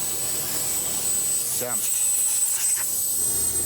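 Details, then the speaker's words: Outback truck tyre just reseated on its rim: steady thin high hiss of air escaping from a puncture at the back; the leak is an old plug repair that has come apart on a nearly worn-out tyre, to be re-plugged. "Wouldn't read about it. It's an old plug. It's an old repair job that's come apart."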